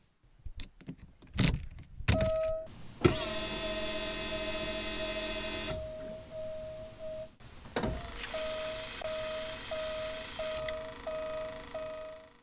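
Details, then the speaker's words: Late-model Porsche 944 after fitting a new solid-state DME/fuel pump relay at fuse panel position G2: key-on chimes, then a steady electric whir for about three seconds that stops; normal fuel pump prime. "With the relay installed, we can now hear the fuel pump run for a period of 3 seconds when the key is turned to the on"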